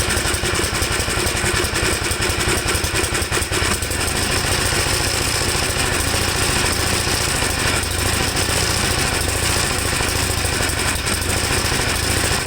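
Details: 1954 Gravely single-cylinder tractor after carburetor cleaning, on choke: loud and uneven, stumbling early then holding a ragged beat; owner suspects it runs rich, as leaning the carb makes it stall.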